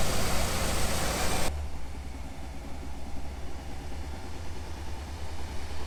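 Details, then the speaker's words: 1989 Jeep Wrangler YJ after replacing a bad fuel injector that squirted a straight stream: loud burst of revs, then low, uneven, lumpy running; starts and runs only with throttle held, shuts off otherwise, won't idle. "so as of right now the injector does work but it doesn't idle on its own so if you're not holding the gas it'll just completely shut off"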